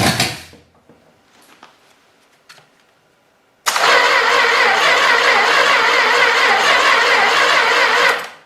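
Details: Long-sitting 318 engine, starter jumped directly to the battery, extra gas added to the carburetor: it catches with a loud, ragged roar for about four seconds, then dies. It fires briefly but won't keep running.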